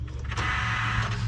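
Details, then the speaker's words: Test truck, instrument cluster wired to constant battery power while the tow/haul mode wiring is set up: a brief soft whir that holds steady as power is applied. This is the dash powering up and working normally. "Did you hear that? Mm-hmm. Okay. Made the magic noise. All right, so the dash is gonna work, okay?"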